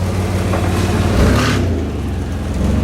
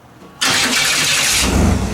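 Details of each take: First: 1991 Chevy S10 after new spark plugs, wires, cap and rotor: a steady low engine note swells cleanly on a quick throttle blip and settles back evenly; it runs strong, though the starter may be meshing too tightly. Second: 1991 Chevy S10 V6 after new spark plugs, wires, cap and rotor: sudden harsh, gritty whir as the starter engages before catching; owner suspects the starter needs readjusting, meshing too tight against the flywheel.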